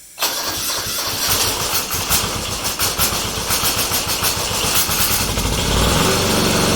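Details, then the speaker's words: Kubota G4200 garden tractor, first start after full restoration and a rebuilt, bled fuel system: the starter churns unevenly for several seconds before it slowly catches. Owner suspects a part fitted the wrong way round. "Yeah, this is when I start trying to figure out what's going on, and I've remembered later that I'd redone the whole fuel system and bled it."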